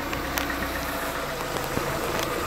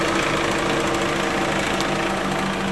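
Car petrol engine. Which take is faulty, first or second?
second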